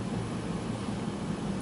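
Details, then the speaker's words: AEG 6000 series T6DBG821N 8kg condenser tumble dryer drum turning. Steady smooth airy rumble with a low even hum and no knocks or scraping: not particularly noisy, running normally. "Now, as you can hear, it's going around, it's doing its thing. It's not particularly noisy."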